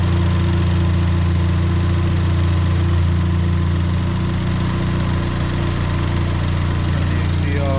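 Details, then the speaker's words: Ford Fiesta ST idling just after new spark plugs were fitted, checked for misfires: a steady, even idle with a smooth low hum and no stumbles or skipped beats; running cleanly with no misfire, normal idle. "Yep. She is sounding good."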